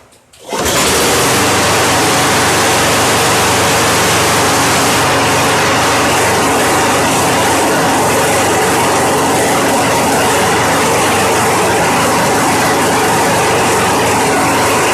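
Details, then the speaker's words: Free Craftsman mower model 917.388113, which had a fuel problem and would not stay running, now running after fuel work once the spark plug wire was reconnected: it catches quickly and runs steady and even with no misses, sounding healthy. "I'd say that's a fix wow yeah it helps if you uh okay yeah it helps if you put the spark plug wire"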